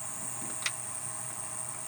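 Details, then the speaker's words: Old truck camper power converter, heard near the breakers: a constant thin, high-pitched whining screech over a faint hum with one brief click; the noise changes as lights are switched; failing unit replaced with a lithium-compatible converter. "but the old one that's in there is making a terrible screeching noise, whining screeching noise, and it's just very annoying."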